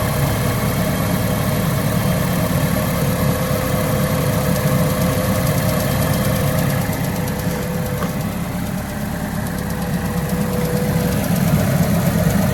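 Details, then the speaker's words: Cheap auction-bought Ford Ka with a known blown exhaust, first start-up at idle: raspy exhaust puffing with a faint whine on top; exhaust leak with belt whine. "doesn't seem that bad. It's a little wine, but I don't know what this sounds like regularly."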